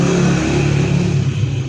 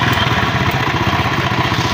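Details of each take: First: Chinese 78cc Honda CD70-type motorcycle after refitting timing chain tensioner rod bolt: small single-cylinder runs with steady low hum, no rattling or ticking on top; timing chain noise gone. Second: Honda CD70-type small motorcycle engine idling fast with a brief rev: a light, dry timing chain rattle over the exhaust beat, much louder with the mic at one side of the engine. Customer blames a jump; the timing chain tensioner rod is the traced fault.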